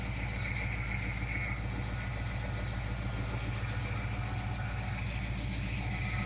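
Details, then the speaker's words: 1968 Pontiac LeMans first start after engine rebuild, warming with RPM raised for break-in, timing about 9 degrees; steady, even burble at fast idle, no knocks or ticks, good oil pressure, no leaks; running clean. "This thing sounds mean as a snake. It is mean as a snake."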